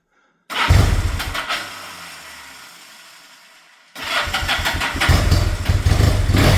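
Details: 1974 Yamaha TX750 twin started after a service with good compression: it catches and fades on the first try, restarts after a few seconds, then settles into an even twin beat and runs healthy.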